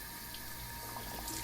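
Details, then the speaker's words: Kodak automatic dish siphon washing prints in a tray, started with a blast of water: steady rush with bubbling gurgle as it pulses water out, keeping the tray filled only to the top of the two squares; normal siphon gurgling. "like that you know it's working correctly and and that will keep the tray only filled up to the top of those two squares and it's safe to use"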